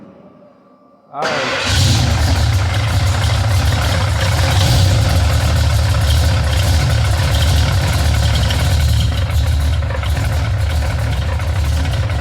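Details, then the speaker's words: Ford F-150 351 bored 30 over, aluminum heads, carb, after swapping Proform for Deep Motor roller rockers, adjusted twice: starts and idles with fast uneven top-end tapping, same or worse; distributor suspected but noise seems further back, cause unknown. "we got this thing all buttoned back up with the uh deep motor rockers and i can tell you it probably sounds the same or maybe even worse"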